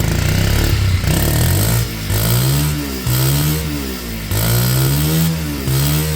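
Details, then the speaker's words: Kymco Zing 125 after its running issues were sorted, before MOT: small single revs pick up crisply and drop back smoothly in repeated blips. Normal revving. "Hey, we're back. Wow, that sounds great. Great. Wow. Good."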